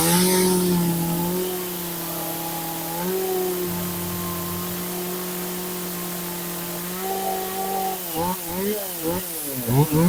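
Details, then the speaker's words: Very old John Deere 450V chainsaw after teardown and repair, started with choke on fast idle: steady two-stroke buzz then quick revs picking up cleanly; no longer dripping fuel, running evenly. "we'll turn it on pull the choke out put it on fast idle and once it kind of like pops we'll take the choke off and it's not dripping no more either so we got that fixed there"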